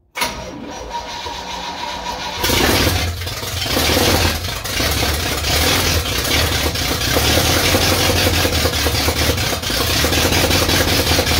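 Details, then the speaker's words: Old supercharged truck engine after carburetor cleaning and modification, primed with gasoline: steady fast cranking with no firing; owner adds timing, then finds fuel leaking from carburetor, suspects float adjustment. "Well, it acts like it didn't get no far at all."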